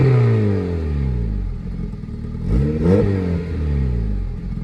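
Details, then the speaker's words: K-swapped Honda Civic, untuned and running rich with occasional black smoke: the note climbs and falls smoothly through a couple of revs, even and fairly quiet with no knocks or rattles; sounds healthy. "you can see, she's nice and quiet."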